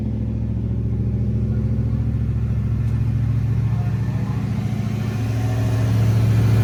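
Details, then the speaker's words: 1988 Holden VL SV88 V8 with a Rochester Quadrajet carburettor, running with the mufflers being checked to find the tinny one (the middle muffler): a deep, steady burble swells with revs, with no tinny buzz or rattle. The exhaust note is normal. "I couldn't hear any tinniness. That muffler, the muffler sounded really tinny, so sounds mint. That sounds good."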